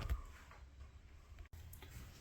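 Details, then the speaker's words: Happy Jack RV bed lift: irregular clicks and knocks over motor hum while raising as the lift chains slap together, quiet going down; fixed with a block of wood glued under the gear chain. "So, going up it makes a noise. Going down it's nice and quiet."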